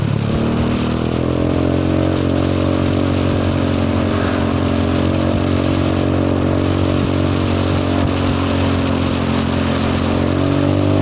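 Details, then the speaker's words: Honda Forza 300 scooter, riding with a cheap Chinese aftermarket exhaust fitted instead of the heavy, hot stock pipe; fuel tuned lean, so it booms. Harsh, loud raspy drone rising with revs, like a cracked pipe; the muffler's inner baffle has come loose. "ดังเลยดังจนเสียสมาธิแล้วคราวนี้โอ้ยมีบุ้มด้วยผมจูนน้ำมันไม่หนาเบาแล้วมันจะบุ้มไม่อยากดังขนาดนี้เลยทำไงดีฮะ"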